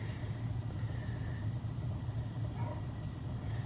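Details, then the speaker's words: Well pump kicking on while a no-water call is checked; the owner reports pipes shaking at midnight when the pump runs. It hums low and steady as it builds pressure, with no rattle or pipe shaking. The pump is fine; the noise is suspected to come from something in the house, perhaps a toilet. "So, when a pump kicks on, kicking on, it's not making the noise. It's pumping. It's got to be something in the house making the noise."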